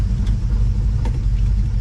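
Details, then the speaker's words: 1970 Dodge Charger, warm engine, after a torque converter swap: deep idle rumble with an occasional faint knock, gone with a little throttle and back off throttle; owner suspects the engine is bad. "See, it's just making a god-awful racket. As soon as you put a little bit of sound goes away, let off the gas, I can hear it. It's back."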